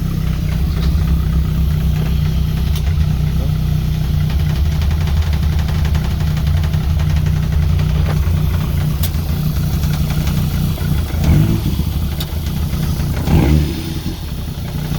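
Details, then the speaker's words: Caterham salvage rebuild idling after correcting the cam timing error that was causing hesitation; even low rumble holding steady with a couple of small throttle blips near the end, now running correctly and sounding healthy. "okay so i think we've finally nailed it the timing was out i'll show you in a second while it's running we'll go back and listen to it running this time now that is actually correct"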